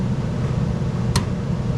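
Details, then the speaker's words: American Standard/Trane heat pump package unit after a blower relay swap, with heat strips energized through the relay: a steady low blower hum with one crisp clack. The heat strip contactor is pulling in normally, confirming the relay's common circuit is wired correctly. "get it so you hear the contact are closing there so I know my contactor will close when that relay is energized"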